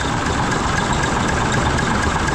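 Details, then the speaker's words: 1974 Mack R Model diesel after bent pushrod replacement, with all valves rechecked: settles to a slow, even idle with no misses, knocks or hunting, running pretty clean with some stuff to burn off; normal idle. "I did go through recheck all the valves should be pretty good there running pretty clean got stuff to burn off"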